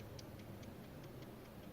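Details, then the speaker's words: VW Passat B5+ Valeo alternator just after brush replacement, pulley turned by hand: light even clicks about five a second as one new brush catches the damaged slip ring; expected to bed in and stop clicking. "так как кольцо имеет повреждение, вот, и из-за этого щетка вот эта щелкает, издает звук."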